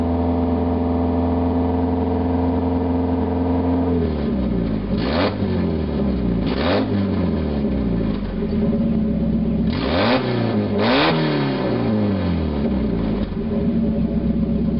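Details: 1991 Mazda Miata 1.6 litre four-cylinder, catalytic converter removed, running straight pipe: loud raspy idle, then sharp blips that fall quickly; sounds bad but revs up quicker and runs smoother without the converter's back pressure.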